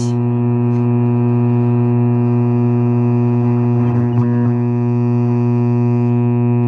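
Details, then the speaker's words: Old Lafayette tube radio, first power-up without prior testing: loud, steady low hum with buzz on top, unchanged throughout; bad filter capacitor, otherwise radio works. "Oh, yes. Oh, hell yes. We got a bad filter capacitor."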